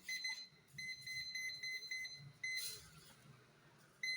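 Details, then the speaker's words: Cheap parking sensor kit tested indoors with an obstacle about 30 cm away: shrill, high-pitched warning beeps about four a second. Distance reading is fairly accurate, but the buzzer is very loud and annoying. "lumayan presisi tapi Suaranya tytytytytyty berisik banget ya yo yah berisik banget"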